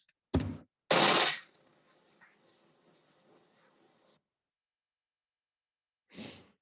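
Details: Machining a thin workpiece held with KOSMEK high-power mechanical-lock clamps: after a sharp start the cut settles into a smooth steady high-pitched hiss with no chatter, unlike the standard clamps.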